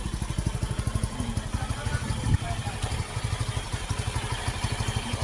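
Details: Easyride 150N single-cylinder carbureted motorcycle, dirty stock air filter (a possible cause of sudden stalling) replaced with Suzuki-type filter: steady even putter at idle, no stumbles or misses; running healthy.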